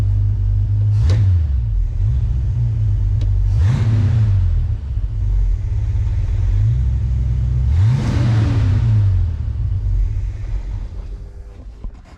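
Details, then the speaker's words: 1966 Mustang with Holley Sniper EFI, fuel pressure set to 54 during tuning: three sharp revs each falling back hard after lift-off, AFR spikes lean, and idle sags and dies; lean lift-off stall. "see that you get on the throttle and then you let go it and AFR goes through the roof tries to"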